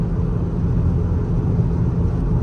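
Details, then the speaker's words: Volkswagen Tiguan on the highway: deep, loud, steady droning rumble like a motorcycle alongside, with rough shifting; a worn front left wheel hub bearing drone, hub and transmission later replaced. "And then when it does shift gears, it shifts super rough, and then on the highway it makes like a super loud droning sound, almost sounds like a motorcycle is next to you."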